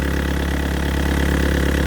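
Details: Yanmar VIO55-5B excavator diesel just after a fuel filter and water separator change, self-bled and started, warming up: steady, even low rumble at idle with no knocks or misses, running smooth and healthy.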